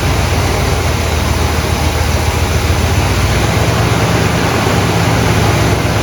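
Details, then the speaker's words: 1972 Buick GS Stage 1 V8 with fuel problems: loping unevenly at idle, low rumble with irregular stumbles; wakes up with brake clean, throttle plate gasket suspected, unconfirmed. Rough running. "It may even be the throttle plate gasket too. Something's not right on this thing, as you can see."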